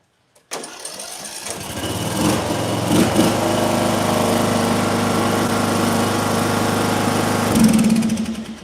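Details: Mower engine in an ignition coil air-gap test, coil set at the recommended 0.010 in gap: a few pulls, then catches and settles into a steady, even run with no misfire or stumble; ignition healthy.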